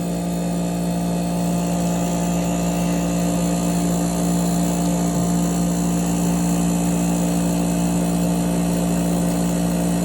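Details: 8,000 BTU through-the-wall AC, front cover off, compressor running loud after startup; steady low hum with a slow rise and fall, compressor surging while it settles down, nearly settled.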